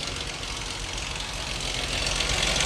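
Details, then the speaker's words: Dodge Charger 2.7L V6 at idle, AC off: busy metallic valve train clatter/ticking, seeming to come from one side; engine suspected sludged, valve train worn. "Yeah, that sound like valve train. Ooh, boy. 27s not known for valve train ticking."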